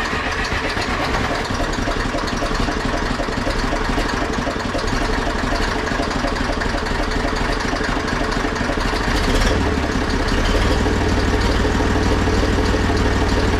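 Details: Zetor 4911 tractor diesel, stored since 2012 (engine renovated before storage): steady clattering idle, lumpy at first then picking up slightly; running normally.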